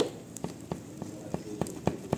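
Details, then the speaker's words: Honda CG 150/160 / Fan / Titan 160 (2014 onward) seat rocking on its latch, giving dull plastic knocks about three times a second. It rattles when ridden without a passenger and is fixed with a piece of old mattress foam. "Tá ouvindo aí, ó? Truc, truc, truc. Então é muito chato, galera, andar com esse barulhinho aqui."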